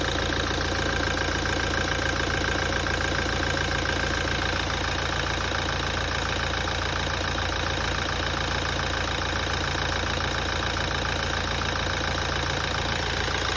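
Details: 2017 Toyota at idle after a major service. A regular tapping knock at about 214 per minute runs through a steady idle: engine knocking, cause not yet known.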